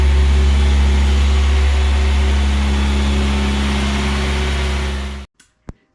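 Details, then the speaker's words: Newly rebuilt Audi A4 B5 1.8T turbo engine (GT2860RS) on its first 20-minute run-in cycle at 2000 rpm with 10W40 oil. A smooth, even drone held at fixed speed with no knocks or ticks, then shut off; it runs healthy. "Igatahes võime rahul olla. Mootor läks ilusti käima."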